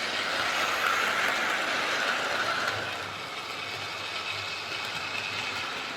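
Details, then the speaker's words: Hornby R041 GWR Class 57xx Pannier tank model loco after a new rear bearing, pulling wagons round the track; light even whirr with rail clicks about three a second, no rasp, much quieter: normal running. "think that sounds better so it's definitely running an awful lot quieter with that new rear bearing"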